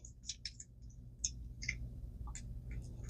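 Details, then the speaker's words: ABU Garcia Ambassadeur 5000C high-speed baitcasting reel: faint, uneven sharp clicks and ticks as the reel turns; worn level wind pawl. "The paws wore out. Gosh, didn't see that one coming today."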